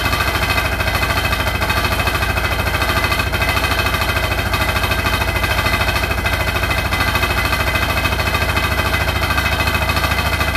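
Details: Hotpoint NSWR843C washing machine on its final 1200rpm spin: a fast, steady, very even hammering rattle, about three knocks a second, throughout the spin; something loose is rattling really loud, cause not found.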